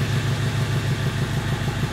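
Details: Fiat Ducato 2.3 that wouldn't run, after repair of a fault in the immobilizer/code box antenna and key area: now starts and holds a steady, even low diesel idle with no knocks or misses.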